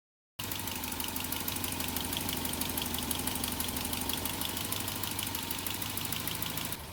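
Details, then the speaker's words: 1986 Ford Courier petrol engine, refurbished motor (over 1.3 million km) just installed, first run at idle: quiet, even idle with light quick ticking about three a second from one noisy valve on that side. "But this is what it sounds like. Pretty quiet. Very happy. There's one uh there's one valve on this side, which you can hear quite a bit."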